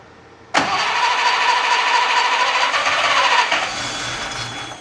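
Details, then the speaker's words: Unimog 404, first start attempt after purchase: catches sharply, runs unevenly about a second or three then dies; fires only on starting spray with spark and compression present but no fuel in the system. "Okay. So, what that tells me is obviously we don't have any fuel in the system."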